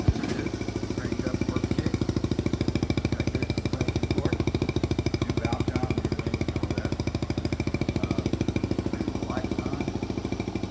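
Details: Rebuilt 1971 Honda CT90, rebuilt top end, new clutch, gaskets, points and plugs: small single ticks over at a steady even beat of about three pops a second, no knocks or misses; healthy idle.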